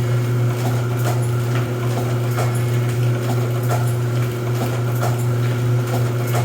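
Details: Rosback 250C (318) 3-knife trimmer with CueFeed feeder, new DC controller fitted, delivery not running so books caught by hand: steady low motor hum with even knife stroke every couple of seconds, no binding or grinding; normal trimmer running cycle.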